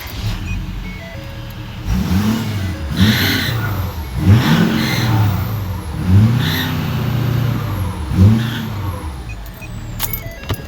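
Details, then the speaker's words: 2013 Ford 6.7 Powerstroke diesel with a squeal only under initial heavy throttle: high squeal rises and falls with each hard throttle stab over the diesel rumble. Owner suspected the exhaust manifold; turbo bearings suspected; manifolds and turbo later replaced. "it's only when you're really heavy on the gas initially and then it stops I'm starting to wonder if it's like turbo bearings I'm not sure but Let's uh let's tear into it"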